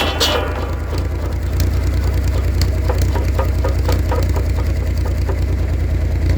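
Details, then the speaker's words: 1942 Oliver OC4 crawler driving PTO buzz saw: low drone with loose uneven clatter about three knocks a second as blade wobbles badly; not loose guard, saw arbor bearing shot, worsened over years. "I thought maybe that was loose but it's the bearing the bearing is shot yeah like I noticed in the past that was moving a little bit but it's really bad now"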